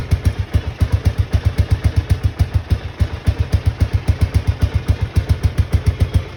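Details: Honda XBR500 single idling with newly fitted universal Viper silencers: deep, even, clean thumping about four beats a second, no misses or rattles; normal idle.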